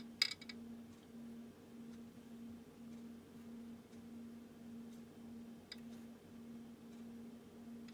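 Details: Ampex VPR-3 VTR AST head drum turned slowly by hand: a few faint, sharp clicks over room hum. The drum turns with no resistance or friction and no loose debris was found; source unknown, possibly normal.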